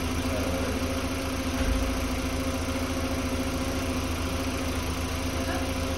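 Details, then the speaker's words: 2005 VW Beetle (P0455 gross EVAP leak) after replacing faulty fuel pump and its faulty gasket: steady, even idle with low smooth hum, no knocks or misses; runs better. "so so spec definitely run this better"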